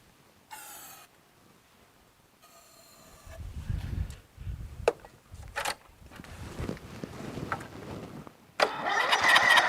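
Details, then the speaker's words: Briggs & Stratton 13.5 hp flathead lawn tractor engine after mouse nest removal, still cranking slowly with the carburetor jammed with debris from blowing it out. Uneven cranking bursts with a few weak catches that never run; won't start. "see if it cranks better now still doesn't crank very fast you know"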